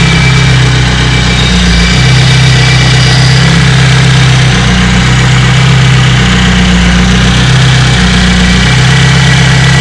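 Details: BMW E30 318is M42B18 idling with a light uneven metallic rattle from bad cam sprockets and a slack timing chain; rattle worst at 2800 RPM, 3000 RPM after tensioner replacement; driven at least 50,000 km like this.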